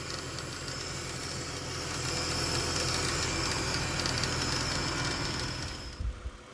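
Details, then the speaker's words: 2010 Ford BF Falcon wagon just restarted after replacing the water pump and thermostat and topping up coolant. Even fast clattering tick about four per second over a hiss. Owner thinks it settles. Clanky noise after restart. "Maybe because I moved it around a bit. We've still got a bit of a noise."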